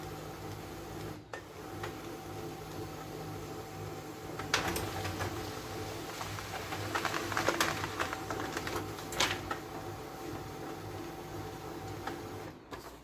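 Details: HP LaserJet P1102, previously noisy with paper jams from a broken gear, printing after the gear was replaced with a second-hand one; even mechanical whirring with light feed clicks, no grinding.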